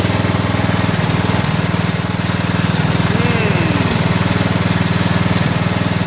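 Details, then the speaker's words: 17 HP Briggs & Stratton Intek overhead-valve engine on a 2000 Scotts lawn tractor: steady beat about four per second with occasional soft pops and stumbles; misfire later cured by a new correctly gapped spark plug. "so she's still popping a little bit I wonder if it's more of a Mist than a pop maybe we got to just throw a spark plug in a real quick see what that does"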